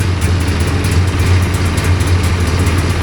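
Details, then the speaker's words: Hurricane hovercraft engine after new coil and carburetor float level set to 24 mm, idle mixture screw one turn out, still cold: steady, even low hum with no misses or knocks; normal idle. "Well, there. Yay. It runs. And it sounds good."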